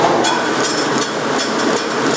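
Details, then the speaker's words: Forrest Model 2054 traveling-table bandsaw at 3,000 ft/min blade speed: steady hiss with a regular thump about 2.5 times a second from a setup blade thought to be bent (a hickey); won't affect cutting, just obnoxious. "This is a blade that we've been using to set up the saw, and I think it's gotten bent, so it's got a little hickey to it. Won't affect the cutting, it's just obnoxious."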